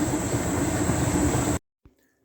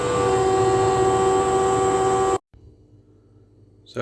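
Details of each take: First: Hotpoint NTM1192SKUK condenser tumble dryer after replacing its faulty water pump, which made a horrific noise when pumping out water: steady, even rumble and faint hiss, then a clean stop; back to normal. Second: Hotpoint NTM1192SKUK condenser tumble dryer, side panel off: faulty drain pump running dry with no water, loud harsh buzzing whine, then cuts out; fixed by replacing the pump.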